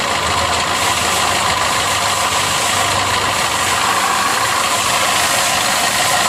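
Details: Maruti Suzuki Swift Dzire at idle with a coolant leak: constant hiss and faint whirring over the engine, no clear knock; abnormal noise linked to the water pump.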